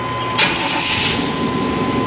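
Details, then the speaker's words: Truck with 245,000 miles, first start after repairs including the intake, run briefly before coolant refill: catches quickly and settles to a steady, even idle with no knocks, misses or squeals; normal start and idle. "Oh, come on, man, that's nice. It's like a brand new 245,000 mile truck."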